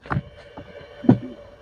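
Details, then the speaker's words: Xbox One 1540 test station checking a swapped disc drive with a game: thin steady whine under a couple of sharp clunks as the drive spins; not a healthy drive sound. "it when you hear that noise that that whining noise there that's usually not good"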